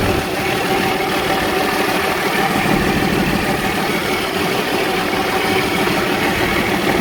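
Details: Cummins diesel in Freightliner truck, after fuel fed directly to the pump: steady, even idle with smooth rattle-free rhythm, no stumbles or misses.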